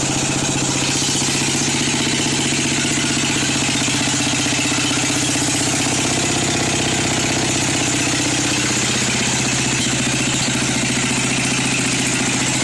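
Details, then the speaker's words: Craftsman 13.5 hp single-cylinder, found with no oil and smoking: engine chugs slow and uneven with a loping beat, barely running at original idle adjustment, which seems far too low. "right here is my right there that's my original idle adjustment it is you can tell it really seems it seems like it's way too low"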